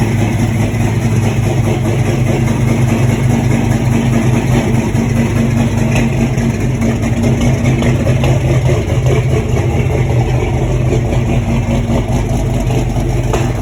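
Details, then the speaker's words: LS-swapped C10 pickup, 6.0 with cam, running junkyard injectors: deep idle with uneven loping beat and occasional skip; leaking injectors overfuel it at idle (rail under pressure showed them leaking), smoothing out somewhat when revved, before new injectors. "You could pull the rail out and sit there and have pressure on it, and you could see the injectors leaking."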